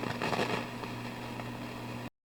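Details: Marshall DSL40CR tube amp, used, with a failing output tube: steady mains hum with irregular crackling pops, low pops getting louder as the tube warms up; the amp still works but one tube is not working.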